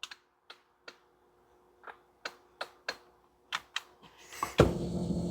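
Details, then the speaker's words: 2010 or 2011 Ford F150 10-way passenger power seat won't raise; sharp relay clicks every half second with no motor hum when pressing up/down; faulty power seat switch, replacing the switch fixed it. "so it goes rear forward front up down but no action for rear but I can hear the relay"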